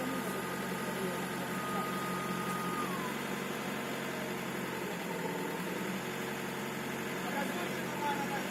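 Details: VW Passat B5 AVB diesel at idle: thin high whistle steady over quiet engine; turbocharger compressor wheel has a broken-off piece.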